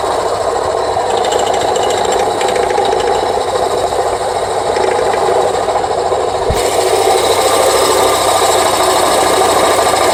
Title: Rattling noise engine